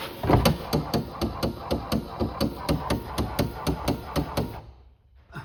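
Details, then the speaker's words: C4 Corvette pop-up headlight motor drive: the passenger side keeps up rapid, even plastic ticking after the headlight opens, showing a worn drive. The rebuilt driver side stops as it should. "Okay, you can see and hear the passenger side clicking, but as you've seen over here, this one is, as soon as it opens, it stops, and that's what it's supposed to do."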